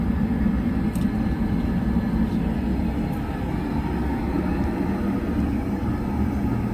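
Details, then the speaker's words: Oil-fired hot-water heating furnace fired by calling heat on the basement zone while troubleshooting Taco zone valves: steady even low roar, no pulsing, popping or rumble, drowning out the circulator pump; burner firing normally. "So, yeah, that fired. So we turned the heat on in the basement, and that fired it. I want to just make sure the circulator pump's running. It's hard to hear with that furnace."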